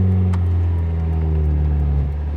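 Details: Mazda Miata back on the road after nine months sitting broken, camera mounted outside: smooth, even engine tone with clean, steady pitch pulling through the revs, no knocks or rattles; engine healthy.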